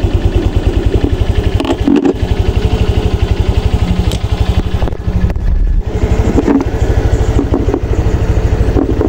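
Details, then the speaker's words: Honda Click 125 V3 scooter, after raising idle speed: even steady low putter at idle, earlier knocking gone, no stumbling, no stalling or hard starting; running smoothly, exact correct idle rpm unsure. "Ayun oh maganda na yung tining ng kanyang andar at saka yung lagutok dito Wala na pinong-pino na yung kanyang andar at saka hindi na rin siya hard starting"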